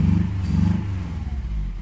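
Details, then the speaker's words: Fifth-gen Honda Prelude 2.2 VTi VTEC automatic after an ECU swap; lumpy, uneven running with a rhythmic stumble, running on three cylinders; cylinder one is getting only a rare, occasional spark, and fuel smells raw; cylinder misfire. "having a car it only runs on three Pistons"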